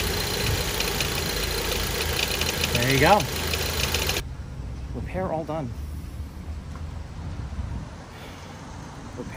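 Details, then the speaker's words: 2011 Ford Transit Connect idling after coolant reservoir replacement: loose, uneven metallic rattle at a few beats a second over the idle; owner says the rattle still needs an expensive fix. "it's time to get that rattle fixed which means I'm going to spend a pile of money this week a monster pile of money"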